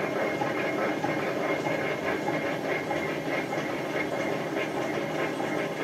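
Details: Hotpoint First Edition FEW12 washing machine left outside for months: loud rough roar with rhythmic swish about 97 times a minute as the drum tumbles, not running straight; drum bearings badly worn.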